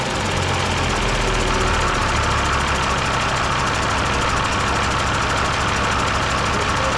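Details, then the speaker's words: Mercedes OM366A turbo diesel (170 hp) at low idle after its fuel injection pump was rebuilt and timing set to standard, slightly later; steady even clatter, every cylinder firing cleanly; normal idle. "О так ребята Олежка регулірує паливні насоси чтко от сечас от самий тихий хід всі циліндри роблять все чтко все форсунки ми не отдавали ФРН"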